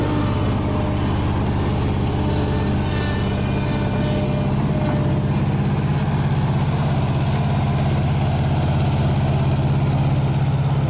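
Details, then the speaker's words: $300 Bobcat skid steer, cold with choke, on low throttle: low, lumpy idle with stumbling beat about three times a second, one cylinder seemingly missing; distributor reluctor needed but not found. Rough idle, suspected misfire. "We still need a reluctor for the distributor because it's running on three cylinder, but you're having issues trying to find one."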